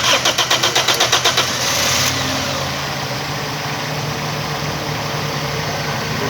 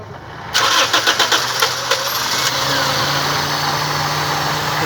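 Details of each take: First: Starter whirs through about a dozen quick turns, catches, then idles with an uneven, stumbling beat on a Toyota Corolla; misfire caused by a faulty ignition coil. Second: Short crank catches within a second, then a steady, even idle with no stumble on a Toyota Corolla after the faulty ignition coil was replaced; the coil no longer leaks spark and the misfire is cured, normal start and idle.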